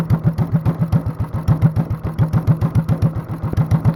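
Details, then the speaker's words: Honda clone small engine with a 10 lb cast-iron flywheel on the crankshaft, cam work and a stage-one kit, idled down very low: slow heavy chuffing at about three and a half beats a second, like a hit-and-miss engine. "sounds like a hit and miss engine now this is how boys and girls this is how you build a hit and miss engine at home with a Honda clone"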